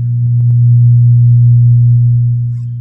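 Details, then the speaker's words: LD active speaker at full volume giving a loud steady low hum, a ground loop in the amplifier; the hum disappears when the board is touched. "m grabe yung haming ayan kapagka kinakapa natin dito naun na haming"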